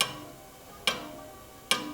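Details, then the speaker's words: Sharp metallic tick once per crank turn on a vintage Bianchi Sprint: a slightly overlong replacement chainring bolt on a chainset very close to the chainstay strikes and scratches the chainstay. "hear that tapping what actually happened here one of the chains set bolts was missing when the bike came in but another one had obviously been replaced at some point this one here you can hear there just slightly too long this chain set was very close to the chain stay and that bolt was kissing the chain stay scratchin"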